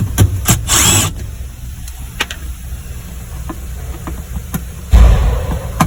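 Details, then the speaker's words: 420A Mitsubishi Eclipse, injectors and fuel filter already replaced: short bursts of firing die away into quiet, then brief catch again; stalling from low fuel pressure. "yep it's definitely a fuel problem"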